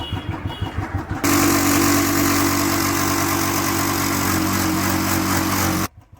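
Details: Royal Enfield Bullet 350cc single, cold after standing a month and a half in winter, kick-started: slow thump settling into steady even idle, then cut off cleanly; healthy, no knocks or rattles.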